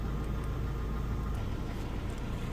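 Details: 2002 Mazda that had a cylinder 2 misfire (P0302) and shook the whole engine, after the code was cleared: steady even low idle rumble with no stumble or shake; now running smoothly.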